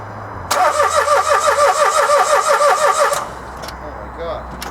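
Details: Dacia Logan after timing chain replacement: starter cranks about three turns per second under three seconds, doesn't start; cause not confirmed, fuel bleeding questioned.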